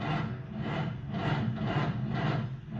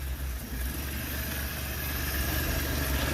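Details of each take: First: Engine with lost fuel prime, after priming carburetor and refitting factory filter: starter turns slowly, about two labored swelling-and-sagging strokes a second without firing: slow cranking. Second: Engine that had lost fuel prime, now running after priming carburetor and a few gas pumps: continuous buzzy idle holding steady speed without dying or surging: normal idle.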